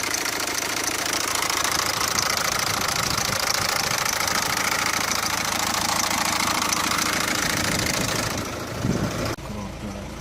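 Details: Peugeot 407 1.6 HDi diesel at idle: fairly regular sharp knock, roughly three and a half per second, over a bright clattery hum; source of the engine noise not pinned down.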